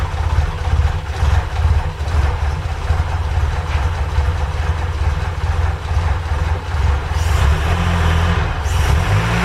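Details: Ford Capri Calypso first start after 14 years in storage and months of restoration, running on fuel only in the carburetor float chamber: steady, even low rumble with no misses or knocks, running smoothly.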